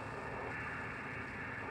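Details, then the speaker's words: Ham radio receiver speaker: loud steady hiss, interference around S4 from a cheap switching power supply, showing as repeating noise bands about 27.5 kHz apart on the waterfall display. "all this noise is in fact coming from my power supply and I can prove it a couple different ways"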